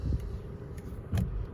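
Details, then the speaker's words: Honda Civic G10 at 60,000 km, after fixing steering-related suspension noise traced to a bearing: low even engine rumble with only soft bumps while turning the wheel, no creak or clunk remaining. "então carrinho vou fazer a manobra aqui para vocês verem que não tem mais barulho nenhum"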